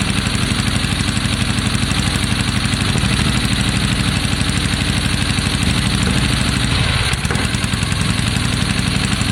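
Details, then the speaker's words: 1972 Triumph Bonneville T120 with Mikuni carbs, just started, choke off: lumpy, loping idle with an irregular beat and occasional stumble, like a misfire. Carbs are hard to balance level; it likes throttle. Cause unclear. "it's very hard to get that um to get them level isn't it yeah he likes a bit of throttle"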